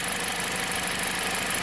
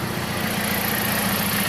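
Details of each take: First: 2007 Jeep Compass four-cylinder idle pulses unevenly with a lumpy stumble under hiss as cylinder 1 drops out intermittently; codes P0301, P2302, fault recreated by wiggling harness, coil 1 wire broken in harness. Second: 2007 Jeep Compass four-cylinder after soldering and shrink-wrapping the broken cylinder 1 ignition coil harness wire: even, steady idle with a regular low pulse, no stumble; misfire fixed, no trouble codes.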